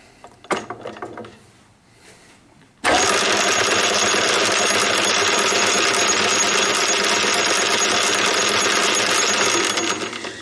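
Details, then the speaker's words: Homemade gear cut on a shaper, test-run on the lathe and sped up: sudden loud gritty whirring with a rough beat three or four times a second; one or two oversized teeth binding in mesh, to be filed down. "that doesn't sound good when i turn by hand i can feel is this one this one two that's a little bit bigger than the others i feel it binding but all the others feel great"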